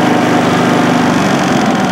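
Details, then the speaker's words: Westinghouse iGen4500 inverter generator, new out of the box, running with no load (0 kW, 124 V output, 6.5 L fuel) in efficiency/economy mode: even, steady quiet hum, no surging, misses or rattles, estimated around 55–60 decibels; normal running. "Yeah. So that's not bad, you know, it's less than, it's around maybe 55, 60 decibels."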